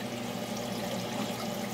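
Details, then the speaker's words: Aquaponics siphon drain fitted with a muffler: a little water rises at the top, then drains down a long tube under the surface, drawing air down as a venturi and releasing bubbles at the bottom; steady soft trickle with fine bubbling, no gurgling surges, normal quiet drain flow. "So there goes the siphon drain. A little bit of water comes up the top and then it just drains down the long tube under the surface and what do you know? There's a whole bunch of bubbles coming out of the bottom."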